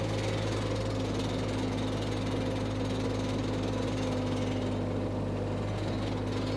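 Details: Power Trac 1850 diesel tractor/mower, just revived after all fluids were changed, running under load with the mower hooked up: a steady, even diesel drone with a constant low hum, no knocks or misses. The tractor is running healthy.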